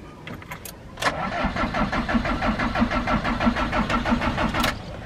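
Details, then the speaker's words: Diesel camper van broken down in Greece, cranked at rest after preheating: starter turns evenly, about three turns a second, for nearly four seconds and never fires. Owner notes the fuel pump/primer stays hard; fuel shutoff solenoid unpowered. "ça démarre pas ok j'en été persuadé"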